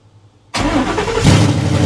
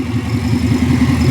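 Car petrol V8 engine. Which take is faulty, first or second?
second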